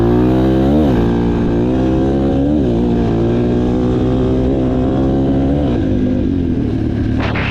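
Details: Yamaha TTR230, uncorked and rejetted, ridden on grass: single-cylinder revs climb and drop crisply, with no popping or backfire as the throttle closes. A healthy, well-jetted engine revving normally.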